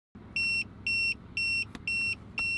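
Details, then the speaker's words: RV trailer TPMS while driving, rubber valve stem failed, Goodyear Endurance tire: five sharp high beeps about a quarter second each, repeating twice a second over road rumble; alarm warning of rapid air loss before blowout. "today's tuesday talks for rvers is all about the sound that you don't want to hear really you do want to hear it because what that is is um it's letting you know it's doing its job"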